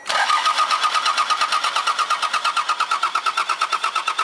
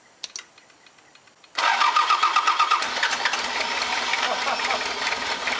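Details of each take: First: Mazda B3000 turbo build, start attempt: steady even starter cranking, about three compression pulses a second, never firing. Crank no start; the pulled fuel line showed no fuel. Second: Mazda B3000 diesel turbo build, first start after closing the cracked injectors: brief cranking, then it catches and settles into a steady, even idle with clean firing. Normal start and idle.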